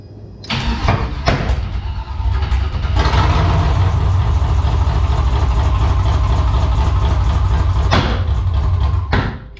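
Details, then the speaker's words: 1984 Oldsmobile Cutlass G-body, LS swap, procharged, Holley Terminator X ECU/EFI, first startup attempt; long cranking with uneven pops and brief catches, never runs on its own; cranks, won't start, cause unknown. "oh this thing is popping dude one more time let's see why is that thing popping like that huh"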